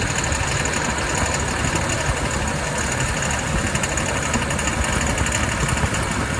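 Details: 2022 Jeep Wrangler Willys JL at 20–40 mph, climbing a hill or accelerating with light throttle on level ground: a coarse, busy clatter and buzz that holds steady under light throttle. Engine noise; the owner asks what is causing it, and the source is undiagnosed.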